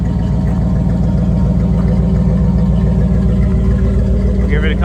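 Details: 1985 Pontiac Trans Am tuned-port V8, out of storage, not yet at operating temperature on a cold day: deep, loud, even rumble held at steady revs, clean firing rhythm, no knocks or misses; healthy but a little loud.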